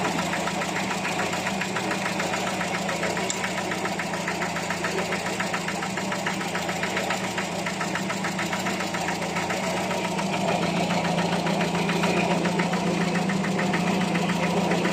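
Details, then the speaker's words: Older carbureted petrol engine idling after full carburetor service for rough idle and hesitation: fairly even steady pulse with slight unevenness, no stumbling; more stable, better throttle response, improved but not perfect. "This is how it's running. It's more stable. Throttle response feels better. It doesn't hesitate like before."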